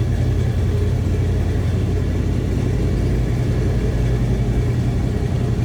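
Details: 1976 GMC Sierra Classic C1500 pickup with numbers-matching 454 big-block V8 and Turbo Hydramatic 400 automatic: deep, even low rumble at idle, steady loudness, no knocks or misses through the exhaust; normal idle.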